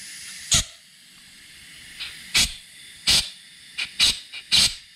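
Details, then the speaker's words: 1986 GMC S15 Sonoma, removed oil pressure sensor blown with compressed air from the back end: about six sharp hissing bursts of air escaping straight through the part. The failed sensor caused the oil leak onto the oil filter. "see that just blowing right through the end of it that's where my oil leak was it's crazy how much oil I lost just through this bad sensor"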